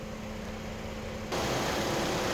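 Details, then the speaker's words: Crash-rebuilt Mercedes-Benz GLK350 with 7-speed 722.9 automatic and new transmission oil cooler, warming transmission toward 45°C for fluid fill: steady idle, then a sudden loud even rush of radiator fan air; normal warm idle with fans running. "Please excuse me if I'm going to shout. I have the vehicle running and the radiator fans are kicked on."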